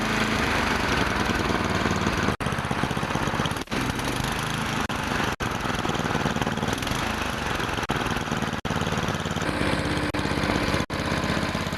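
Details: Tecumseh snowblower engine after throttle linkage repair: steady, even single-cylinder drone at constant speed with no hunting or surging; normal running.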